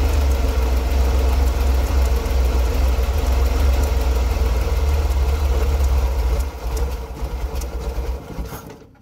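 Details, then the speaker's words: Chevrolet Corvair while the distributor is adjusted: low, uneven, lumpy idle that dies away. The engine ran worse the closer the timing mark got to the specified reading. The owner suspects something is installed wrong; cause unconfirmed. "so as you saw there the closer the mark got it was about here before closer the mark got to the actual where it's supposed to be reading in between yeah the worse the engine ran"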